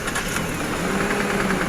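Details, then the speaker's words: 2009 Toyota Aurion 2GR-FE V6, idling: quick regular knock about ten times a second from inside the engine, from worn, spun crankshaft bearings; engine removed for inspection. "हां हां तो दोस्तों यह आवाज engine के अंदर से आ रही है"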